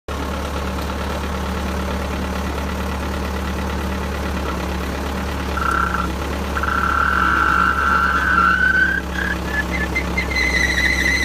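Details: Machine's final drive at steady engine idle, then a high screech rising in pitch that comes and goes; final drive brakes dragging because a weak charge pump gives low charge pressure, keeping brakes from disengaging.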